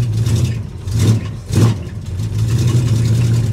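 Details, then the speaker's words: 1973 Plymouth Scamp, cold start: engine picks up cleanly in three quick blips and settles to a steady even idle, oil pressure over 90 psi; sounds healthy. "I'm honestly surprised that this thing fired up like it did. I didn't think that was going to happen. Woo! Listen to that."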